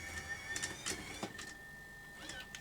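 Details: Grundig SVR4004 VCR with control panel reassembled and tested: clean clicks as the mechanism shifts through playback, stop, rewind, fast forward, and a smooth steady motor whir; transport working normally.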